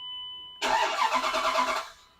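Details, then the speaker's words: Dodge Dakota shop truck, which normally starts instantly: about a second of even, rapid cranking that never catches; fuel pressure not holding in the rail or line is suspected, likely a failing fuel pressure regulator. "Symptoms like that generally indicate that fuel pressure is not staying in the fuel rail or in the fuel line from the tank to the fuel rail itself."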